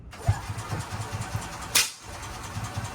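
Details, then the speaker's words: Gas golf cart stored over winter with a full 5-gallon tank of bad fuel, no stabilizer or ethanol-free gas, cranked in neutral with choke pulled: slow uneven chuffing that never catches; flooded from bad fuel, bad gas smell, fuel-versus-spark check pending. "And at the same time, you can smell bad gas. So what I'm going to do here, we're going to see exactly if it's fuel related or spark related."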